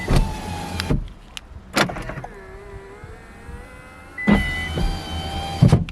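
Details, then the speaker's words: Power windows run from key fob after enabling the function with Thinkdiag2 OBD-II scanner: smooth whirring runs of a few seconds, clean starts and stops, no grinding or straining: normal power window operation. "so with this option power window up and down with transmit I already have it on and that means ability to control my power windows just from key"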